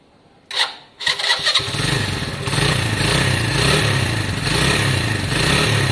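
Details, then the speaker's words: Lexmoto Valiant single-cylinder motorcycle after up-jetting, choke off; a few sharp clicks, then fires and settles into a steady, crisp idle with even revs, sounding much better than before: normal running. "wow that sounds so much better with that upgrading um so much better actually guys that's choke off which means it didn't need it as well which is a good sign"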